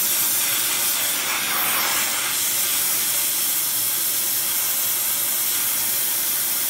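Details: Airproducts Integra oxy-acetylene cylinders with built-in regulators and small mixer torch, welding with pressures set by ear, aiming for 4 psi: steady even hiss, no popping or sputtering; normal clean torch flame.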